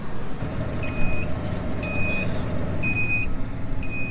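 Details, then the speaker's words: Massey Ferguson 8S tractor with seed drill sowing barley, at the field corner: four sharp high beeps about a second apart over steady tractor drone, the drill's warning that a marker arm wasn't lowered. "là en fait vous entendez l'alarme, tout simplement parce que j'ai pas baissé un traceur."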